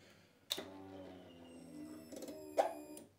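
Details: Royal Enfield Himalayan 411 after fuel pump repair following a no-prime, no-start fault: two clicks then a quiet steady hum as the pump primes and pressurises with ignition on; working normally.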